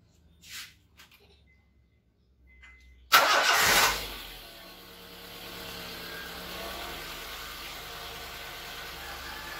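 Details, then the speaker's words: Honda Civic VTiS at 54,709 km, started after engine-bay detailing: quick crank catches at once with a brief flare, then a smooth, even cold fast idle just over 1000 rpm while warming up; no check-engine light, running normally. "engine sudah hidup. Kalau semuanya normal. Untuk cek engine tidak menyala, berarti kondisi normal ya. Nah, ini RPM-nya masih 1000 lebih sedikit karena ini posisi masih mesin dingin, jadi masih warming up."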